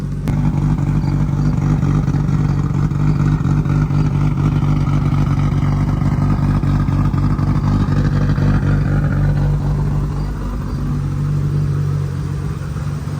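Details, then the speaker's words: Nissan R32 GTR just started after ECU setup, warming up before dyno tuning: a steady, smooth idle with an even low drone and no knocks or misses; normal idle. "running sounds good I'm just letting it warm up then I'll check the level of the oil and see where it's at but it sounds super good"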